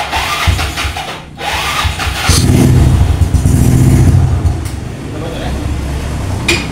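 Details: Honda Beat scooter after total electrical failure traced to corroded relay socket pins rather than the 4-pin relay: brief crank, then the small engine catches cleanly into a steady, even idle without misses or knocks; normal start.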